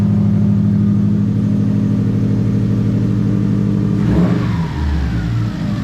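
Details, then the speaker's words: Subaru WRX on jack stands, engine running, shifting into first and second with no weight on wheels: brief rough grinding burst at each shift over steady engine hum; motor sounds good; front-wheel-drive part of transmission suspected. "So Alright, so like with the when I went through first and second, it grinded. You heard the noise. So I am able to shift through the gears with no weight on it, and it still grinds."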